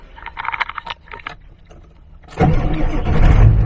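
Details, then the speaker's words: Ford 7.3 Powerstroke diesel, warm, on its third start after the starter was taken for repair: the engine catches almost instantly and settles into a strong, steady rumble with no dragging crank, starting faster than ever. "whoa man that sounds freaking great i love it and never this truck never started so fast"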